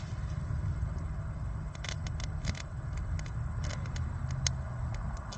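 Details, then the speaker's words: Faint, irregular sharp snaps and crackles over low outdoor rumble: electrical arcing where three pipelines bonded to a common negative point are connected, with return current flowing between the pipes. "আমি জানি না আপনি স্পার্কের শব্দ শুনতে পাচ্ছেন কি না।"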